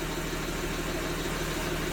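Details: Gen 1 BMW F30 340i (B58 engine), first start after a genuine valve cover and oil catch can install and reconnecting the battery and injectors: steady, even idle, smooth low rumble, no ticks, knocks or hunting; healthy.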